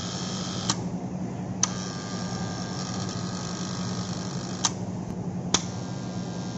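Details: Motor starter contactor: constant low electrical buzz with a few scattered sharp clicks, humming and chattering; cause not yet pinned down; contactor humming.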